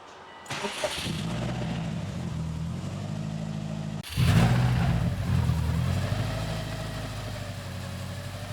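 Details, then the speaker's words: 2005 Subaru WRX STI engine, first start after a crash and timing reassembly, out of gear after priming. A short crank catches quickly, settles to a steady, even idle, then a clean rev blip, with no weird noises; normal start and idle. "try to start it up and fingers crossed it runs it runs good it doesn't make any weird noises"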